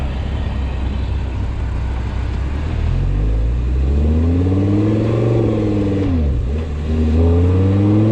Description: Not sure if this whining is normal or not